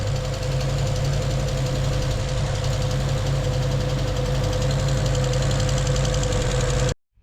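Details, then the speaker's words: HQ Holden wagon running for the first time in about a decade, at steady idle: light quick ticking at about three or four a second from a suspected stuck lifter plunger; degreaser was dribbled down the pushrod to free it. Lifter tick. "hopefully if that that lifter plunger is stuck down it might just be enough to break it free and pop it up and then it fills with oil and we're good to go"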